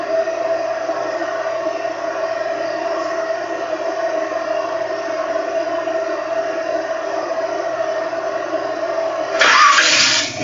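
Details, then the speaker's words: 1970 Ford Mustang Mach 1, 351 V8 with Flowmaster mufflers, warm after a 3G alternator upgrade: a steady, loud, lumpy idle running a bit rich, radiator fans whirring, and a blip near the end. The engine runs fine. "she's running a bit rich but uh I'll crank it up for you real quick and actually you can already hear fans are kicked on because the car's already up too"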